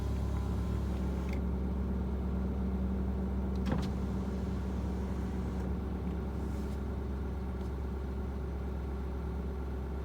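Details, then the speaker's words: Ford 6.7 Powerstroke diesel pickup at raised idle during catalyst warm-up, not a regen. An even rushing drone from the cooling fan cycling on sits over a steady rumble. Oil 99°, transmission 95°, coolant and oil pressure in range; normal. "There's the cooling fan."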